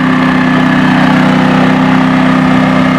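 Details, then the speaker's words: Firman WH03242 4000 W dual-fuel inverter generator powering an RV's 13,500 BTU air conditioner: steady, even drone with a constant hum, no surging or hunting under the heavy load; still showing voltage with the overload light off. "okay the ac just clicked on uh don't know if the compressor is on but the air conditioner still excuse me the generator is still running and we're waiting for the compressors"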